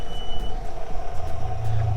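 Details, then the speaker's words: Older boat outboard running with trim sensor unplugged: steady mid-pitched alarm tone over low engine rumble; alarm sounds but no fault codes shown on the older gauges. "so it gave an alarm but it doesn't give any codes which normally it does"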